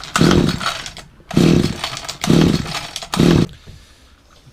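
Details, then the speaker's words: Hedge trimmer that leaked fuel and would not start, after priming with a couple of pumps: engine catches in four rough bursts about a second apart, each dying away, then sputters out. It is choking. "Take that off of there for a minute. That's definitely choking."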